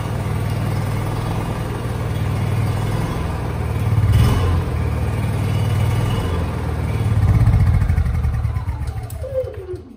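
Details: Honda generator with a low battery, jump-started with a TOPDON V1200 jump pack: cranks briefly, then catches into a steady low-pitched run, a little uneven at first before settling; starts without trouble.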